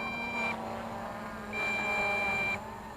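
Steady high-pitched beeps, each about half a second to a second long, repeating over a low hum; the transmitter is warning of low battery.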